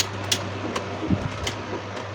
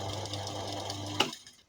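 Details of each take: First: Second-hand electric fan after a DIY repair of its loud noise, reassembled and tested on speed 1, then speed 3. Steady low hum and an even rush of air at high speed, strong and smooth, now normal. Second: Second-hand electric fan running loud. The motor groans with a strong low hum and fast rattle because its shaft is loose, while the blades still spin freely.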